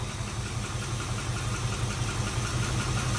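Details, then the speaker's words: 1970 Dodge Charger, 4-speed conversion, after first startup and a drive: even low idle, slightly rich, no misfires, lifter tap pretty much gone once oil pressure came up; a normal idle. "Sounds good though, no misfires. A little rich. Probably blame that on the clicky clacky. Yes, sir. Tap's pretty much gone now. Just needed some oil pressure."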